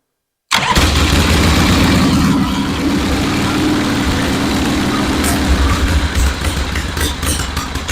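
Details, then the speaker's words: 1974 Harley-Davidson Ironhead Sportster chopper, earlier fixed for a no-spark problem, started with a battery charger connected: an uneven, stumbling V-twin idle that sounds about to die. Rough running with an intermittent misfire; an ignition cutting out is suspected. "I think it would idle great and give a nice smooth ride but it sounds like almost like the ignition is kind of cutting out sometimes maybe it's just my ears but it just doesn't sound smooth it sounds like it's almost about to die"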